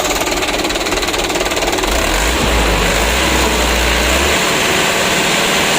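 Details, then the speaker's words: Mitsubishi Canter 125 PS Super Speed diesel with new injection pump, after governor spring nut and throttle stop adjustment, now starts easily without throttle: idle clatter, clean rev rise and smooth drop back; normal throttle response. "Untuk gas-gasnya lumayan"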